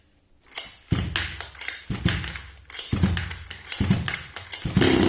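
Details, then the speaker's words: HPI Baja 5B CY 26cc two-stroke engine after a full rebuild: catches straight away and revs in short, sharp bursts with a crisp buzzy note; fires and runs cleanly, rebuild successful. "And what a delight it is to hear the engine fire up. So the engine rebuild was successful and I'm quite happy with the result."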